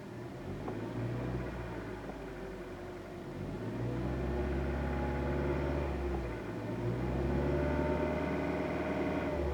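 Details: New Kia Rio with 1.6 Gamma engine, 6400 km, not warmed up: steady drone with a diesel-like clatter of about four taps per second at 1500–2000 rpm, audible in the cabin, rising and falling with revs; cold engine clatter, cause unclear.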